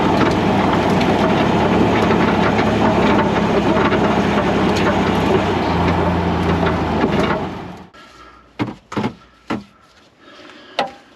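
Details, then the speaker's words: Range Rover L320 with underbody-mounted camera while driving: constant rough rattle underneath, then sharp knocks as it slows; owner suspects a loose rear component shaking over bumps, and foam packing didn't stop it. "So what I think is happening is that when I go over bumps, this is shaking. I put a bit of foam on there and I was hoping that that would stop the rattle, but it's still there."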